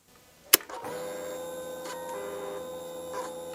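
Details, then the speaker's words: 2009 Kawasaki VN900 Classic 900cc fuel-injected V-twin, sat for a season, won't start, new battery and fresh fuel: sharp click at key-on, then a steady electric whir for about three seconds that stops cleanly; fuel pump priming normally. "that is a definite fuel pump noise that could be good you know that's telling us that the fuel pump is getting a signal"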